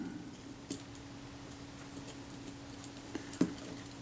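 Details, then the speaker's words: Kodak Retina IIa camera shutter being reassembled during a service, aperture detent spring just fitted: a few crisp, light clicks over near silence as the aperture ring snaps positively into its detents; detent seating properly. "check that i've got detent here that clicks positively into position that's good"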